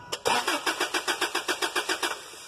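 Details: 2012 Toyota Hilux: steady starter churn, roughly six compression pulses a second for two seconds, engine never catches or fires; crank-no-start.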